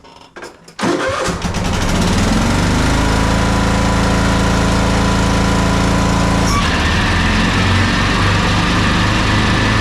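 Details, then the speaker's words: Troy-Bilt twin-cylinder zero-turn mower, bogging and dying under load: runs lumpy then sags and roughens, running on one cylinder at about 11 hp and cutting poorly; failed ignition coil, no spark on one cylinder. "at this point it sounds like it's bogging down it sounds like it's running on one cylinder now at that point you're still going to get about 11 horsepower out of it"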